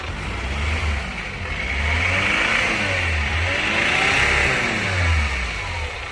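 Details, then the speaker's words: Chevrolet Captiva Diesel FL hurt by Biosolar fuel, with heavy pulling, smoke, hard starting and repeated stalling. It vibrates heavily and rises and falls through rev sweeps with a coarse, uneven clatter and harsh rasp. Fuel line suspected. "Mesinnya bergetar sangat hebat. Bunyinya kasar dan juga mengeluarkan asap"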